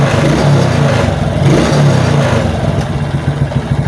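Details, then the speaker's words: Suzuki Titan motorcycle that died or stuttered when revved on a weak battery, now on a new battery: revs smoothly to high rpm with no stutter or misfire; normal free revving. "jadi enggak ada suara deg deg deg deg deg jadi kayak telah minyak ya kayak motor itu enggak mau jalan sama sekali ya enak ya"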